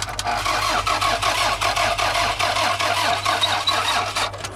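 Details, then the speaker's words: $500 cheap car that has fuel; the seller implied a dead battery. Steady fast cranking at about 2.5 beats per second with no firing; cranks but won't start, lack of fuel or spark suspected. "Now that to me sounds like it's not getting fuel or it's not getting spark."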